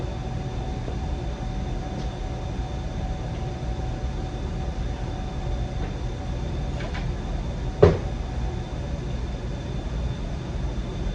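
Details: Cadillac CTS wagon LS swap with a manual drivetrain, first start, cranked by tripping the starter relay. Deep, steady low rumble with no misses or knocks and one sharp click midway; a smooth, even V8 idle.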